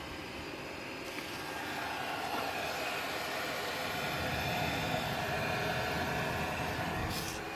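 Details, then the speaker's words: Diesel heater modified to run on waste oil, ramp-up cycle with richer burn and a bit more smoke; smooth, steady combustion roar building slightly then holding, no popping or misfire; normal ramp-up burn. "And now it's smoking a bit more because in the ramp up cycle it is richer burn"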